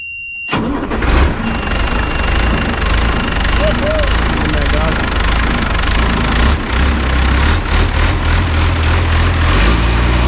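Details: Mercedes Unimog expedition truck diesel started after sitting about one year, second start attempt: silence, then the starter catches and it fires into a steady, even low idle clatter without misfires; starts and runs healthy.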